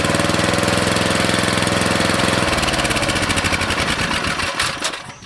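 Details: Briggs & Stratton 13.5 cast-iron-sleeve riding mower engine running with air filter refitted after suspected oil entry via open exhaust valve while tilted; steady fast single-cylinder thump, slightly uneven, then winding down, smoke lessening as oil burns off: normal running.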